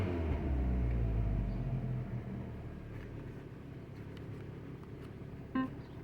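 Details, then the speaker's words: 2012 Fiat 500 at about 111,000 miles, just after its first successful start: low, steady idle with an even pulse of about four beats a second and no knocks or misses; it idles and runs good. "But this thing, it runs good. Runs good."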